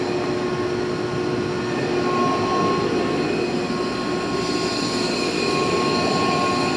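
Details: Used 2005 Boge 40 HP variable-speed-drive compressor, 480 V, 79,131 run hours, 1,909 loaded hours, at max rpm building pressure after air demand opened, about 68–70 dBA: steady even roar with constant tones; normal full-speed running under demand.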